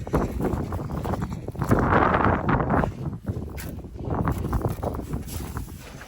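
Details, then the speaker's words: Toyota 1UZ V8 cranking after sitting a few years: uneven, lumpy cranking about 3.5 beats per second with irregular clatter; sounds terrible, owner suspects lifter buckets collapsed from sitting on cam lobes. "o that sounds terrible do a bit of a g it could be it could be cuz of certain the um lifter buckets were on the lobes and they've collapsed"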